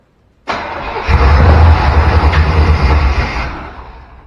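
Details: Square-body Chevy C10 short bed, parked 16 years, starting fluid sprayed in: starter churns steadily about three turns a second for several seconds but never catches; no fuel reaching the engine.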